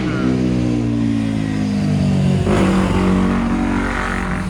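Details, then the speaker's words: 1993 Nissan Pathfinder stored about six years, starter tried with the clutch safety switch held by hand: a steady whirring drone sagging slightly in pitch for several seconds, no firing; it spins but won't start. Owner suspects a faulty clutch safety switch. "I think the button pushed when the clutch is closed and it doesn't start obviously it tried"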